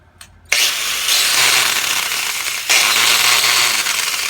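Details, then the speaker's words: Craftsman 4.5-inch 6 amp angle grinder that began running rough during trailer work: spins up to a high, harsh whirr with uneven, gritty undertone and bad handle vibration; owner doubts a bearing, suspects brushes, unconfirmed. "It just vibrates really bad in the handle, but I don't think it's a bearing."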